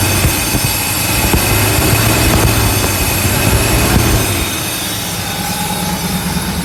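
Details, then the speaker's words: Euro Mercedes 6.9, cold start after sitting overnight, muffler cut off: loud, raw unmuffled engine roar that rises with a rev and settles back toward idle; runs smooth but could use a tune-up and fuel system cleaning. "It's really loud because the muffler, for some reason, has been cut off. I'll also rev it up for you so you can hear it."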